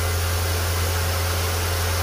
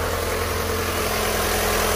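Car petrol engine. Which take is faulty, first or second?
second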